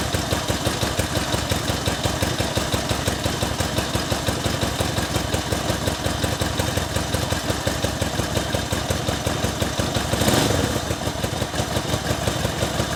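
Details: 1964 Honda CA95 Benly 150 twin at its first start after a 30-year sit, with a new throttle cable and a cleaned tank: a steady, even putter at idle, slightly uneven but running cleanly with no knocks or misses. Normal idle.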